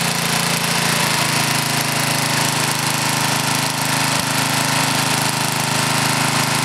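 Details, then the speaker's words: Briggs and Stratton small engine with one-piece Flo-Jet carburetor, older model, during carburetor adjustment: steady buzzy idle with one brief sputter; an occasional sputter is okay, constant backfiring and sputtering would mean leaning it out. "a little sputter now and then like you hear there is okay"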